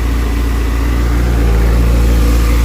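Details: Motorcycle idling after replacement of a failed, melted cheap Chinese rectifier behind a burnt connector; charging still good, wires barely warm. Steady, even low putter with no misses, knocks or rattles; smooth, healthy idle.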